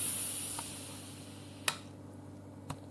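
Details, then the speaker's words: Instant Pot-style pressure cooker, cancelled instead of keep warm, valve moved to venting for quick release: loud steam hiss fading over a couple of seconds with a few small clicks, normal release. "I'm gonna release the pressure right now like I said no problem just move it to venting and boom"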